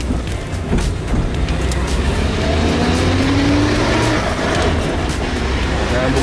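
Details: 1994 Nissan 100NX, first drive after water pump replacement, engine warm, pulling away: a faint whirring tone rises with revs under the engine drone; clutch release bearing noise.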